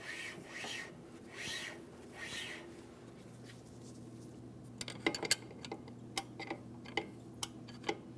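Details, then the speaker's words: 2003–2008 Toyota Matrix rear drum brake after wheel bearing and hub replacement and shoe adjustment, drum turned by hand: spins freely with a soft, even rubbing swish; light shoe drag, correctly adjusted. "Now, you can tell that I still spin freely. I do have a slight amount of drag here. That's exactly what I'm looking for."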